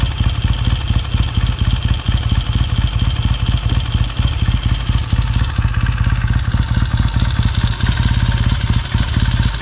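Even, quick thumping twin idle that holds its rhythm without stumbling or knocks; settles nicely from a cold start.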